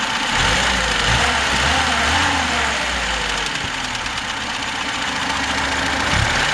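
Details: VAZ 21063 engine at steady idle with a regular knock riding on top, roughly three to four per second; cause not yet pinned down.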